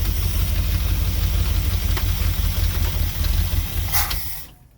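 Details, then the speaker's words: Mopar 440 big block in an old motorhome, running on carb with no fuel from tank, fuel pump suspected dead; cranks slowly and hard yet starts easily, deep even V8 rumble holds steady then dies as fuel runs out, runs smoothly. "it still runs it still starts up pretty easy i would i would think with it cranking that slowly you wouldn't get it to start that easy but it doesn't seem to care"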